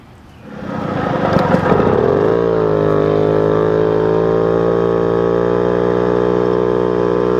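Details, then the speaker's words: Moped with performance parts, carburettor jetting being tuned by swapping main jets (76/74): engine picks up over about two seconds to a steady high buzz at wide-open throttle, listening for faults after a second or two at top speed; result not judged. "um usually usually when you're top speed for a second or two then you'll hear it"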